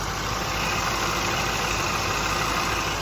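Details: Range Rover Sport SVR at first start after rear main oil seal replacement, exhaust refitted, no leaks yet at the bell housing. Even, steady idle with a smooth exhaust rumble and no ticking or knocking; normal idle.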